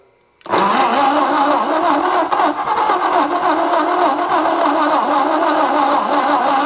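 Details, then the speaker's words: 1964 Ford F250 with 223 inline-six, revived and started on jumper cables; fires straight into a busy, slightly uneven lumpy idle. Uneven compression on some cylinders, yet runs and doesn't sound horrible. "It's got some messed up compression, but it runs, doesn't sound horrible, and it's gonna probably go out of my shop."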